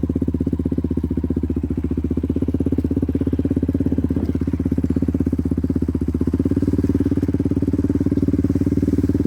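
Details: Yamaha Raptor 734cc big bore ATV after rebuild, coolant and oil in: deep, lumpy single-cylinder thump at steady idle, even pulses with no knocking or misfire; healthy normal idle.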